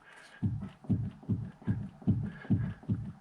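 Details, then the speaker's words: Vauxhall Corsa C with clunking steering, tie rod rocked by hand: eight dull knocks in about three seconds, one per rock; play at the inner joint from a worn left-hand steering rack shaft bush, not the tie rod. "can you hear and see that movement so that's in the inner joint"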